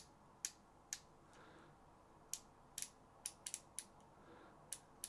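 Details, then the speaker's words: SoloKing Acura Pro BFS reel (Doviello Acura Pro HICC-50): the brake adjuster knob gives crisp, firm, positive clicks at irregular spacing as it is turned, while the spool tension knob is silent. The detents are working as intended. "then drag adjuster it has clicks nice positive clicks then spool tension knob has no clicks it's silent and break adjust be or Noob has some clicks too"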